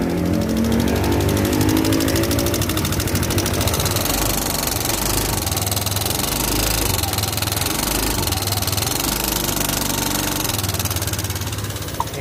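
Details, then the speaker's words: Yamaha Aerox 155 scooter used daily for taxi work, at idle: fast metallic ticking about three or four a second over a busy idle; mechanic suspected rocker arm or camshaft bearing. "kalau enggak dari suaranya ada dua kemungkinan ah kalau cium bisa CVC tapi nggak mungkin kayaknya sih lebih ke antara pelatuk noken as atau Larno panas"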